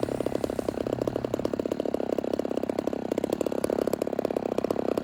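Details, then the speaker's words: Homelite Super XL 130 vintage chainsaw, first run after build: fast, choppy, slightly blubbery idle; it runs rich on both top end and idle circuit because the air filter is soaked wet, and cleans up as the filter dries. "The saw is going to be a little rich on both the top end and at the idle circuit. That's just because the filter is really wet."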